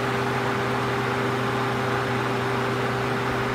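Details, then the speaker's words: Suzuki SX4 radiator cooling fan, ECT signal simulated with decade box to about 97-99 °C so ECM grounds relay: steady whooshing airflow with low electric hum, even pitch; normal low-speed mode, one fan motor, about 7 A. "that's the low speed mode on the fan and continue so that's just one foil operating on the fan if you will"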